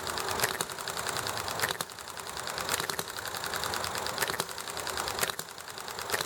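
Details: Enjomor model hit-and-miss engine running nicely: light ticking with a sharp firing pop about once a second, then coasting between shots, even and steady, under background highway traffic and conversation; normal hit-and-miss running.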